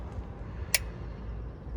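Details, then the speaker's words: Walk-in cooler condensing unit, 2008 model, condenser fan running but compressor not starting: a sharp click over a low hum, then a soft thump, as the compressor overload trips; the start capacitor tested fine. "that was the overload that just clicked did you hear that on a 15 volt model 2008 hacker special"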